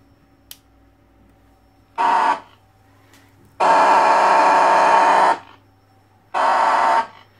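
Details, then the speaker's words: Alan 48 BSX / Midland 7001 CB radio with replaced VCO and crystal, audio output stage isolated: loud steady mid-pitched self-oscillation howl in three bursts with quiet gaps; cause unconfirmed, audio howl. "Ho isolato il finale di bassa frequenza finale audio ma nonostante ciò si sente questa auto oscillazione che fa un rumore infernale"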